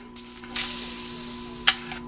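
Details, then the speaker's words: August 1993 Coleman 414 Powerhouse two-burner stove, fuel tank cap released after shaking with the valve off: sharp hiss of escaping air then a brief pop; the tank was holding pressure. "yes I heard some air so that's good"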